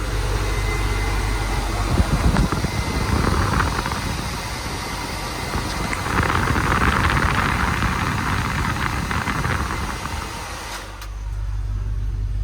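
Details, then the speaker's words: 1979 Chevrolet K10 with newly installed Classic Auto Air aftermarket AC, engine running, compressor jumped, blower on high: loud steady rush of air with some handling noise, then it drops away; fan working normally, cooled to 60 after about 2 minutes. "All right, so as you can hear, that fan's pretty loud."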